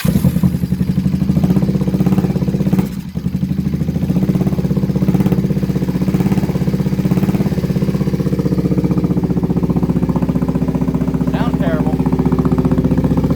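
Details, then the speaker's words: Kawasaki Vulcan 500 on its first start after a carburetor kit was fitted, idling unevenly on choke: light clattery patter over the exhaust beat; owner suspects terrible top-end noise, cause not pinned down. "like we might have terrible top end noise"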